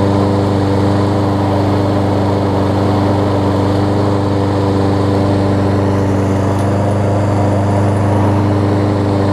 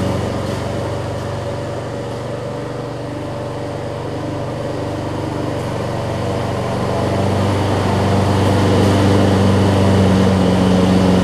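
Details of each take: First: Lawn Boy push mower fitted with an aftermarket replacement carburetor after a bad needle and seat, blade stop cable fixed, warm start: a steady, even single-cylinder drone with no misses or surging. It runs smoothly and healthy. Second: Lawn Boy push mower, small single-cylinder, on test run with fuel pouring from the carburetor: steady low buzzing drone; bad carburetor needle and seat leaking, later fixed with a replacement carburetor.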